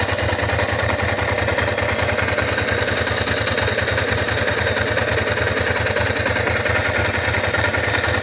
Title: bruit moteur